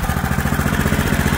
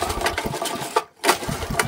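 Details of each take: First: Auction-bought 8 hp Honda small single-cylinder engine, running after a little initial priming, old carb still fitted: thumps along at a settled speed with a steady, even beat and no misses; runs sweet and healthy. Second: Old 8 horsepower Honda engine from auction, ran previous day on brake cleaner, pull-started on petrol with choke on, full throttle: a few sharp pull-start cranks, turning over without catching; cranks but won't start, carburetor problem suspected.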